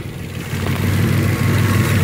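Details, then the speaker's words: Turbo project car with a bad air-fuel ratio, earlier 20 at idle, idling low and uneven with a lumpy pulse; a spray test while cold found a vacuum leak at the cheap catch can, and idle improved after the fix. "Then I still had a bad air-fuel ratio, bad idle. And then I grabbed, I know you're supposed to use carburetor cleaner to find some leaks."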